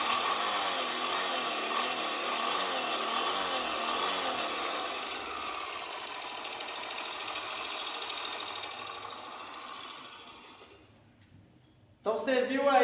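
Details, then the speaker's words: Honda CBX 250 Twister still running with normal power: loud, sharp, shrill metallic rattle over the engine that fades as it winds down; slack cam chain from a failed tensioner. "um barulho, né? Um barulho bem forte, estridente, um barulho até alto."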